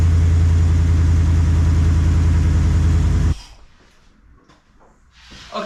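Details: 1969 Plymouth Fury III after rear main seal replacement, noise from the front of the engine, both belts removed. A steady rhythmic thrum repeats with engine rotation, then stops at shutdown: the harmonic balancer rubbing the timing cover.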